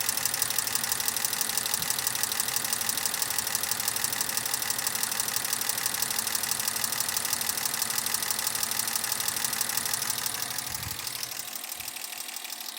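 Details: Toyota Mark II with 1G-FE engine that smokes, breathes through the breather and knocks, warm idle with shaking from cylinder four: fast even ticking knock about three per second; engine knock, cause not pinned down.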